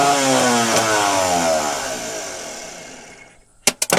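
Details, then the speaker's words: Scrap-bound diesel forklift with new solenoid and loose starter bolts: high whine winding down with no cranking, then hammer knocks; starter spins but the shaft doesn't throw out to engage, starter possibly bad. "làm tốt như thế nào tệ thật, nó chắc chắn chỉ đang quay nên có vẻ như trục không thoát ra và không ăn khớp"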